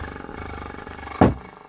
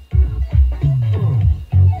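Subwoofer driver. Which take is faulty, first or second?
first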